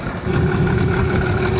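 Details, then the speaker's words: Unbranded Amazon 20 hp two-stroke outboard resembling a Yamaha Enduro, on a boat, started in three pulls. A low, even idle burble with no misses; it pumps water and smokes a little from the cowling, which the owner suspects is exhaust via the shift shaft hole. Normal idle. "Well, three pulls and it started and it's idling and it's pumping water."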